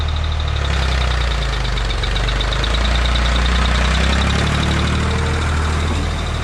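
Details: 1985 Ford 545A 3-cylinder diesel tractor loader backhoe, first cold start after rebuilt injector pump installed and bled: steady, even idle clatter with no stumbling or hunting, running cleanly; hydraulic pump is really slow.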